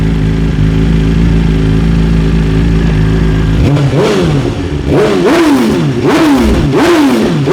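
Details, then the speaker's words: 2023 BMW S 1000 RR after ECU flash to stage 2 tune with Sprint air filter and relocated IAT sensor: even idle, crisp clean throttle blips, fewer flames, no misfire; healthy. "Less flames, which I would say is a good thing actually too. Yeah. Yep. Throttle response seems dead on."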